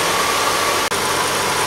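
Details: 2000 Hyundai Sonata after alternator and serpentine belt replacement, jump-started: engine settles into an even, steady idle with no knocks, ticks or whine; charging at 14 volts, running healthy.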